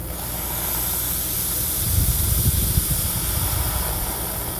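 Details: 2005 Procharged Trailblazer fuel injector bench test, held open with a 9-volt battery and pressurized with a can of transmission cooler flush: strong, even hiss of spray swelling smoothly and holding steady; normal clean flow.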